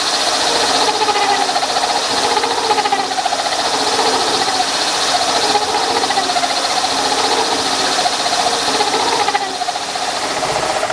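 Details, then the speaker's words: Milling machine hand-feeding a 3/4-inch-wide, 6-inch-diameter cutter with a new outboard support and a close-tolerance bushing added for rigidity. A steady cutting hiss with light, regular tooth ticking and no chatter or squeal: a normal, rigid cut. "So we're gonna go ahead and make another little cut manually. I'll hand crank it through there, and you can see this is a 3/4 wide cutter, 6-inch diameter."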